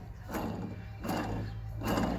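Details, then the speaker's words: Ford Falcon BA/BF original wheel bearing at 173,000 km, hub turned by hand: rough, gritty grinding in bursts about every 0.75 s. Bearing found dry and dirty; failed seal letting moisture in suspected. "it's not good not good at all I got it off uh it's pretty [ __ ] pretty dry there's uh a lot of crap in there"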